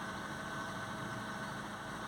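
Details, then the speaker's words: Peugeot 207 petrol that had a no-crank fault with no ECU communication, after repairing a corroded ECU by adding a wire: steady, even idle with a smooth low hum, no misses, knocks or hunting, and no engine light; running normally. "I don't know if you can hear it but it started so no engine light no nothing so that's pretty good"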